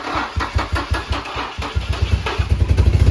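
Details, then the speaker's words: Nissan G35 VQ35DE just reassembled, exhaust leak and coolant on belt: brief crank, catches, then uneven pulsing idle; starts only every other time, cause unknown. "It starts every other time. Before that, oh my god, before that, we just started it 3 times. Every time perfectly. Boom. This time, of course, as soon as we film."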